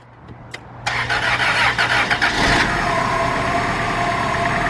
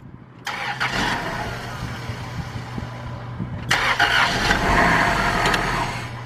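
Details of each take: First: 2002 Dodge Stratus 2.4 DOHC after replacing dangling timing belt, which had caused no-compression cranking; brief misfire first run, then catches quickly into smooth even idle, no knocking or slapping; sounds healthy. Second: 2002 Dodge Stratus 2.4 DOHC after timing belt replacement (old belt found dangling): cranks, catches, slightly uneven idle with occasional stumble; slight misfire on first start, run briefly.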